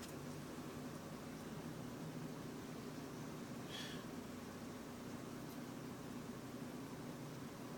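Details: 2005 Chevrolet Trailblazer on LPG idling with a cylinder 3 misfire: low, uneven hum whose rhythm stumbles now and then.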